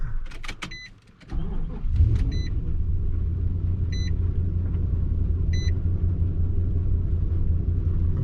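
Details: Nissan Titan V8 with complaint of multiple misfires, smoke and gas smell; scan shows bank rich and mass airflow reading too much air: catches and settles into deep, slightly uneven idle, door chime in background; engine misfire at idle.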